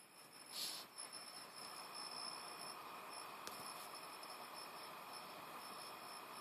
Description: Ps3 is whining anyone know what's causing this?